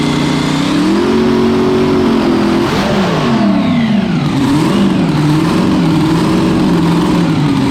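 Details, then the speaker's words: Small-block Chevy V8 on a 400 main block, after fuel issues were fixed by leaning the mixture: crisp revs that climb and fall quickly with a clean, even exhaust note. It sounds aggressive and healthy. "Basically, we just leaned the thing off quite a bit, and it seems quite aggressive and where I'd feel it should be."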